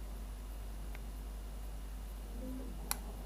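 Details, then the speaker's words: Talbot Express Autosleeper ice-prevention heater thermostat controller, probe in domestic freezer: single sharp relay click over quiet hum as temperature falls to -2 °C, switching heater on (off at +2 °C); controller works normally. "you go, hear it click. Okay, so it's now, the heater would be on."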